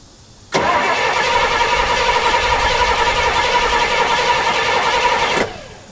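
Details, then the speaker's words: 1968 Pontiac LeMans V8 that sat 23 years: cranks about five seconds with starter whine and uneven chuffs and backfires but won't start, with fuel poured in. Flooding was suspected, but the ignition was actually not set at top dead centre. "um flooded I mean it that's possible yeah the backfiring makes sense yeah I think it's [Music] flooded"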